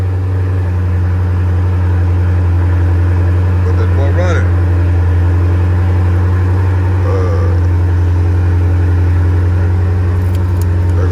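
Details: 392 Scat Pack Challenger started after sitting a long time on a nearly dead battery. Deep, steady V8 burble at idle with an even firing rhythm and no knocks or misses; running healthy.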